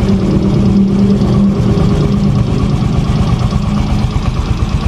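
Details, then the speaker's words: Yamaha Mio 125 automatic scooter at idle, rising with a little throttle: rapid, loud metallic ticking, louder at higher RPM and when hot after a long ride; valve tick from excessive valve clearance. "Nah di sini langsung saja ke permasalahannya ini permasalahan bisa teman-teman Dengerin nih ini Suaranya berisik nih lebih jelas dari sini nih ini saat posisi stasioner"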